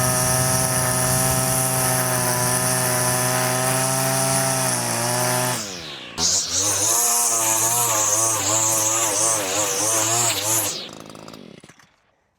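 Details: Two-stroke line trimmer fitted with an Arnetoli F-ONE trimmer head, line set one click shorter to stop laboring. A strong steady buzz dips briefly into long grass and recovers, cutting normally.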